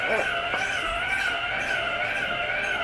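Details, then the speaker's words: Electric yarn winder running while winding a yarn cake: a high, wavering squeal holds steady over the small motor's hum; owner wonders whether oiling it would help. "y'all can hear it from here, but it is making like a squeaking sound and you can actually you can hear the engine going. I don't like that. It makes me cringe."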